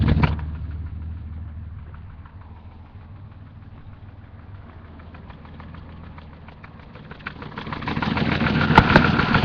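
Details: M30 545 turbo six-cylinder idling, recorded from underneath the car: a steady, regular knock of about three beats a second; engine knock at idle.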